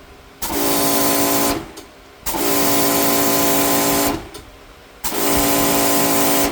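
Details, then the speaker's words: New Giraffe Tools Grandfalls Ultra Flow electric pressure washer on 15 amp circuit: three on-off bursts of strong hiss over even motor hum, full pressure instantly each time; no breaker trip; normal. "It's not tripping the breaker, and I've got it hooked up. It's on a 15 amp circuit."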